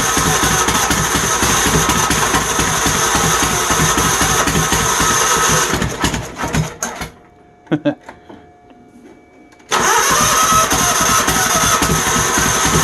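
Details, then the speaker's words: Troy-Bilt GTX 20 with new lapped valves and gaskets, carburetor issues, gas fed directly into carburetor and prone to flooding: loud, raw exhaust firing about four beats a second stumbles, dies, snaps back; runs rough, no muffler baffles. "I just put gas in it likes the flood over I got a carburetor kick common butt"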